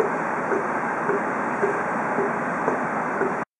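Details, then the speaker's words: Air conditioner running: soft regular pops about twice a second over fan hiss, from water not draining properly and air drawn back through the outdoor drain hose, often in airtight rooms with a kitchen exhaust fan running. "この音はエアコンから水がうまく排出されていないことが原因で鳴っていることが多いです"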